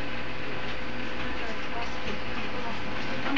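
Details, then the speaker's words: IBM laptop CD-ROM drive, noisy when a CD is inserted, disc swapped for a different one and still loud; steady whirring hum with faint rattle as disc spins, drive shaking and vibrating, cause unclear. "Yan yung vibrate na sinasabi nila. Nagpalit kami ng CD ah. Maingay na."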